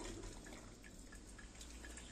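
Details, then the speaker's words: Electrolux coffee maker that only blinked and would not draw water or heat, after replacing the burnt heating element: soft gurgling, trickling and faint bubbling as water heats and flows through. Brewing normally after repair. "Opa aí já fez um barulhinho e vamos ver se vai cair e vê se vai esquentar também né"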